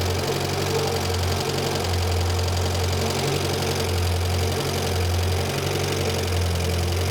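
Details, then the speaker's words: Renault 5 Gordini Turbo, non-electronic idle mixture screw turned out (richer), likely unadjusted for years; idle hunts and lumps about once a second with light tappet tick; rough idle from over-rich mixture, screw turned back in. "now that is I'm unscrewing that which makes it richer and it doesn't like it so I'm going to screw it back in again"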